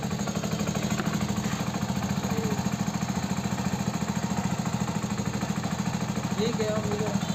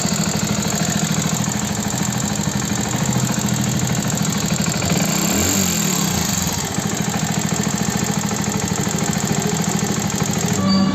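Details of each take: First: Hero Passion Plus BS6 single-cylinder bike at 13,454 km: an engine noise blamed on the timing chain was actually the rocker. After the rocker was adjusted, it gives a steady, quiet idle with no top-end tapping. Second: Hero Passion Plus BS6 motorcycle, 13,454 km, idling: fast light metallic tapping about three ticks a second over the single-cylinder idle; a mechanic blamed the timing chain, but it is actually fine; valve tappet noise from loose clearance.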